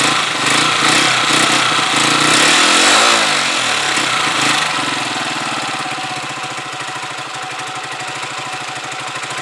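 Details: Huoniao HN125 single-cylinder motorcycle with a newly fitted replacement carb, warming up from cold with the choke off and the idle raised. It drops from a blip to a fast, regular idle of about four beats a second with no misses. Normal warm-up idle.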